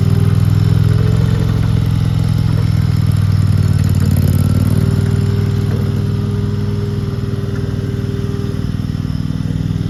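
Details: RODA RD380C gas-powered mini skid steer loader, started to demonstrate: steady, even engine note with a smooth, unbroken rhythm and no knocks or rattles; the engine is running healthy.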